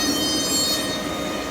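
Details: New Quincy QGS 7.5 HP rotary screw air compressor at first startup, motor rotation direction confirmed correct: a steady high whine with a constant airy hiss and no knocks or rattles while filling the tank. It runs smoothly.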